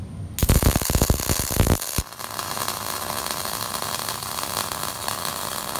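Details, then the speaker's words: MIG welder set wide open on 1/8-inch material: a few sharp pops, then a loud harsh steady crackle and roar; heat too high, giving a wide flat weld, large heat-affected zone and likely warping. "you get a really wide flat looking weld like that I have the welder wide open on E inch material"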